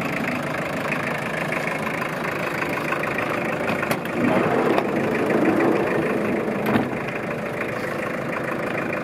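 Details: 1991 Mazda Bongo 4WD turbo diesel after glow plug start: even, steady diesel clatter at idle with no misses, surges or odd knocks; runs strong with no smoke.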